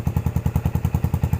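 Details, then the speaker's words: Yamaha SR400 single, 2014, after rust-flaked fuel tank cleaned from long parking that caused stumbling: even single-cylinder thump about ten beats a second, no stumbles or misses, now idling normally. "สะดวดฟังดูไม่สะดวดเหมือนเดิม"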